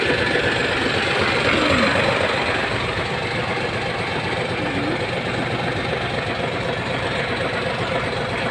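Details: Hino 700 E13C diesel with low power and hard starting: steady idle with dense, slightly uneven clatter and faint stumble; rough idle from malfunctioning injector number 5.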